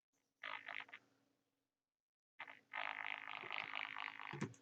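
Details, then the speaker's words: 1960s Philips "200" transistor radio, first power-up on a current-limited supply drawing about 8 mA: irregular buzzy crackling bursts with a low hum and silent gaps; the crackling at switch-on has no known cause yet. "yes and I'll hear a noise I don't believe this I can hear a noise"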